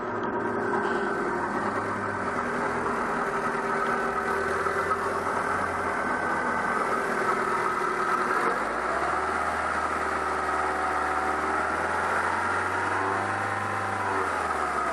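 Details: 2000 Mazda Protege 1.6 after a P0302 cylinder 2 misfire, spark plug replaced and codes cleared: steady, even petrol idle with no stumble or skipped beats, pitch level. No misfire heard.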